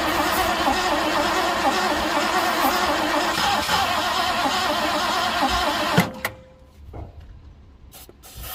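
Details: 1967 Ford Galaxie stored 35 years, with fuel gravity-fed from a bottle through a new filter into the carburetor bowl: six seconds of steady cranking at about four beats a second, never catching: cranks but no start.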